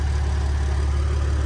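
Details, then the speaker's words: BMW M4 S55 idling after tappet cover replacement to cure a PCV whistle that appeared after cold start: steady, deep idle with an even low rumble and no whistle, before reaching operating temperature. "Yeah, mission accomplished. There's no noise, just gonna wait for the car to run until operating temperature."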